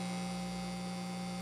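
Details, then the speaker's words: 34-year-old Washburn Status Series 1000 bass being refurbished: loud, constant low buzz of unchanging pitch with nothing played; owner suspects pot grounds contacting new shielding while the active circuit has its own floating ground. Mains hum. "i'm gonna have to deliver the noise i think now what i'm gonna have to do is cut out a lot of crap in there so that there's no contact with ground with the pots because this circuit has its own ground"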